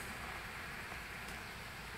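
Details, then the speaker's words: MSI Sword 15/Katana laptop fan in default power mode while running Dying Light: soft even airy whoosh with no ticks or whine, quieter than expected; normal under load. "That's how loud the fan is in the default mode with dying light running in the background. So it's a lot more quiet than I was expecting it to be."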